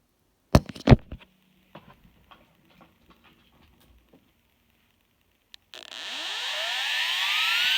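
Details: IBM Deskstar 120GXP IC35L120AVVA07-0, 123.5GB, 7200 RPM, 3 platters, hard drive spin-up and spin-down: sharp clicks then a loud rising rough whine from bad spindle bearings.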